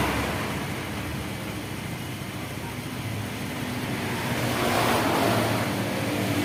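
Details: Honda Vario 110 carburetor scooter during the charging check with the headlight switched on: engine runs steadily and picks up smoothly as revs rise, with no misfire or stumble; charging would not reach 14 V, and the battery is suspected.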